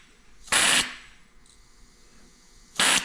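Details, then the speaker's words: Accucraft/Aster 1/32 live steam USRA Heavy Mikado tested on compressed air while setting a replacement safety valve: two sharp hissing bursts as the valve lifts at about 60 psi and reseats; popping at set pressure. "So I'm going to crank that up just a tiny bit. Actually, I hear the engine popping already just by cranking that up."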